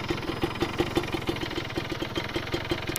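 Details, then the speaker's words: Kawasaki Ninja two-stroke: sharp even ticking about six times a second over a rough idle, heard when throttled; attributed to the piston area, cause suspected not confirmed; rattle at idle. "Nah itu pas di gas pas di gas itu terdengar ada bunyi ter gitu ya ter Nah itu memang di bagian piston ya"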